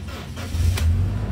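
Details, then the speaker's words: Toyota Kijang Innova G Lux engine starting quickly and settling into a low, smooth, even idle hum with no knocks or rattles; healthy normal start. "mesinnya seperti ini teman-teman suaranya masih halus masih enak"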